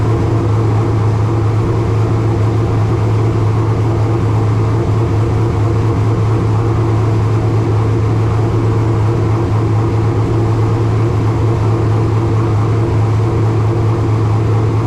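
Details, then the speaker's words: Race car engine at its first start after installation, cooling system filled with filtered water, no tachometer fitted: strong, steady low rumble at a fast, even idle that never drops back; idling high, no other major problems seen. "all right there y'all go first engine fire of 2025 sounded good uh no major problems that we saw right there uh it's idled up a little bit thing was I don't have a tack so I don't know exactly how many RPMs it was turning"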